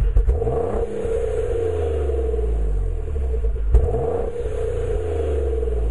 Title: 2004 g35 reving haltech rc 750cc greddy tt hks exhaust- misfire issue